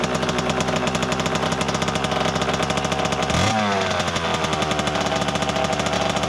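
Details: 1988 Kawasaki KX 80 two-stroke starting for the first time in 15 years after being flooded; crisp rapid firing with a quick throttle blip and drop back, picking up cleanly and running steadily.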